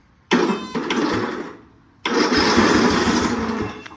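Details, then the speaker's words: Non-running lawn mower whose starter, jumped directly with alligator clips, cranks the engine over evenly with no grinding; the starter works, and the key-start failure was later traced to a missing ground. "the engine turns over yes so my next question is why did that not work with the key"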